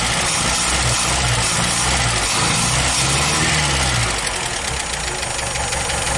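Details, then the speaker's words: Scout 80 with rebuilt original fuel pump, throttle linkage unhooked, sometimes needs choke: uneven, lumpy idle with a loose irregular beat around three a second; runs rough, owner suspects flooding from fuel pressure too high, tester pending. "let me see if we can get this guy going and you can hear it run a little bit I don't have the throttle hooked up but thank you sometimes it likes choke and other times it doesn't"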